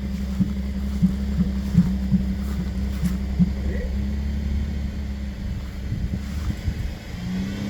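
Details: Engine idling low and rough with uneven, irregular thumps about three a second and smoke coming from the car; misfire suspected from a fuel injector, not confirmed.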